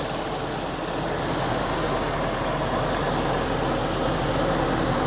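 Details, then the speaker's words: 2000 Toyota Kijang Krista 1.8 EFI after oil change, still warming up, temperature needle starting to rise: steady even idle with soft regular pulse, no knocks or ticks; normal warm-up idle. "kalau udah tercapai dia akan lebih tenang suara mesinnya kita lihat lagi nah ini udah mulai naik levelnya"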